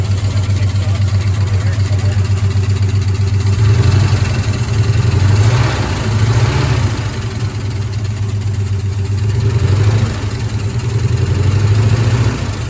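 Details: 1972 Ford F-100 Ranger XLT, first start after sitting over 10 years, fuel poured into carburetor bowl: lumpy idle with beats dropping out; missing, owner suspects a stuck lifter, otherwise sounds healthy.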